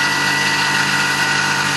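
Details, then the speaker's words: Tormach PCNC 1100 Series II milling aluminium fixture plate, helical ramp then full-slot pocket 3/16 in deep at 75% stepover: loud, harsh, gritty cutting roar. Chips are being re-cut because the coolant nozzle is not clearing them. "Definitely louder than most of my operations, and you can hear the recutting occurring."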